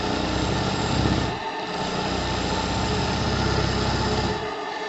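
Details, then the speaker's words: JLS 13-2 live steam engine (6.8 cc) at a little over 1 bar, running faster: quick, steady exhaust beats at a few per second, even and unforced, no noise; running freely with nothing wrong. "je n'ai pas besoin d'efforts pour faire fonctionner cette machine [Musique] il y a pas de bruit Rivers vraiment plus vite"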